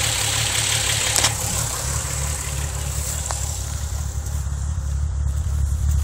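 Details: VW VR6 12V idling with misfires on cylinders 2, 3 and 6 (mostly 3), engine shaking, check engine light blinking; low uneven lumpy idle with stumbles. Coil pack, spark plugs, wires, coolant temp sensor and purge valve already replaced; runs smoothly while driving.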